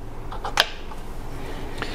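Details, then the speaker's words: Jeep Cherokee XJ 231/242 transfer case half on the bench, shift lever moved: a few sharp light clicks over quiet room hum from the detent spring and plunger seating in their grooves; normal detent clicking. "so inside of here whenever this moves normally we hear you hear that clicking"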